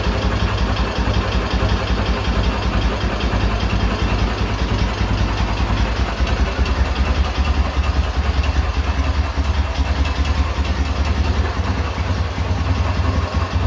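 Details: K-750 motorcycle boxer twin after replacing the timing gears (four crankshaft gears), ignition fed direct to the coil: deep, steady, low-pitched idle with no knock. The earlier idle knock has disappeared; the gearbox may be worn.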